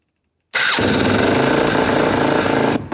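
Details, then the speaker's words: 2004 Polaris Predator 500 ATV after rebuild, started with a little choke: catches after a short crank and revs unevenly for two seconds before dying; rough running traced to a battery cable not fully seated, relay also suspected. "Okay. The battery cable wasn't quite on there all the way, that's why it wasn't running quite right."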